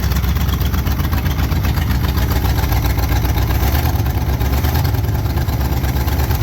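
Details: 1968 Pontiac Firebird 400 V8 just fired after sitting since 1986, points cleaned and gapped, carb bowl pre-filled with fuel: deep, steady rumble holding an even idle, no knocks or misses; running normally.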